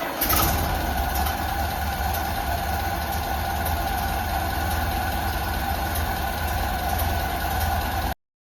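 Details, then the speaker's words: Ford Model A (1930) with freshly rebuilt Zenith carburetor, first start after installation; fast, busy idle with quick even firing, idle speed set too high, backed off with the idle screw. "Okay. So, the idle is a little high. So, what we're going to do is take our screwdriver and back it off a little bit."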